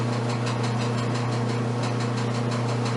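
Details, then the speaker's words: Kenmore dryer after replacing damaged drum support rollers and support shaft: steady even motor hum with soft drum rumble, no banging, running normally and sounding much better. "put the filter back in and drop the top and test it that sounds much better"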